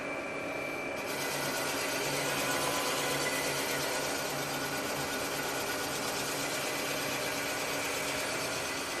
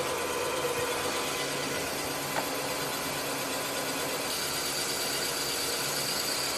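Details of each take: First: Rottler boring bar reconditioning an engine cylinder: harsh, loud cutting chatter as it cuts the ring ridge, then a steadier, quieter hiss, growing louder again as the bit bores down through the worn taper. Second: Rottler automotive boring bar boring an engine cylinder (bore verified at 4.025 in) completely through the bottom, before setting the bottom stop: a steady, even high-pitched cutting hiss with no chatter or pulsing, normal smooth cutting.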